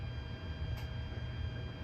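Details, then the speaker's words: NUX B8 wireless unit with cheap compressor pedal powered from Voodoo Lab Pedal Power 3: steady low buzz with faint fixed tones, no playing; isolated supply reduced but did not cure the interference from the B8. "it's not nearly as loud but the issues still persists"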